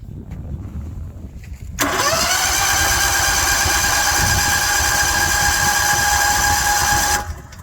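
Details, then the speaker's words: Portable gasoline generator with battery tender, in Texas cold: after failed cranks, third attempt catches abruptly and settles into steady even buzzing idle; normal start and idle. "Okay, baby. Come on. Third time's a charm. Let's go. Let's go. idle. So it should idle. There we go. Okay, let it run for a while."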